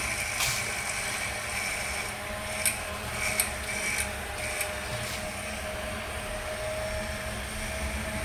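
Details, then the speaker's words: Corsair VS650 power supply fan bench-powered at low voltage before repair: thin steady hum with faint buzz and scattered ticks; strange vibration, owner suspects dirt on the oiled axle. "maybe to dirt but anyway strange vibration"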